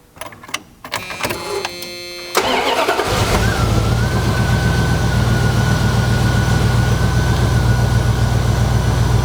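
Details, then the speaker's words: 1990 Dodge Ramcharger, bought as a non-running vehicle, now started and running on its own power without modifications: brief crank, then it catches and settles into a steady, even, smooth idle with no knocks or misses. "so as you can hear it runs fine it runs great as opposed to the what did when I bought it it's no longer a non-running vehicle"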